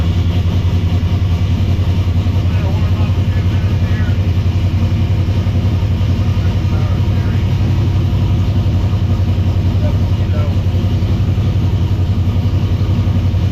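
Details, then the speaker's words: V8 idling just after a very loose belt that was causing racket was tightened, warming up with the temperature gauge not reading: steady, even low rumble with no squeal or slap from the belts; a normal, smooth idle. "This belt down here is loose as anything. So let me tighten this up, and I'll get back to you. That's better."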